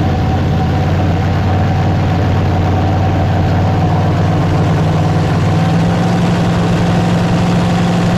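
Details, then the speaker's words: Dodge Super Bee being rebuilt as an autocross racecar: first fire. Loud, steady V8 idle with a deep, even rumble through open mufflers, no knocks or misses; normal, healthy idle. "yep I can put some timing in it that sounds good all right good ready yep"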